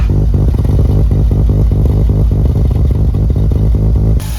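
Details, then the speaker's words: Freshly built street-ported Mazda RX-7 FC3S rotary during its first heat cycle, vacuum about 15 at idle: choppy, loping idle with an even rapid popping beat and steady low rumble; normal for a ported engine. "With any sort of porting, you lose a bit of vacuum at idle. Oh, that sounds sick."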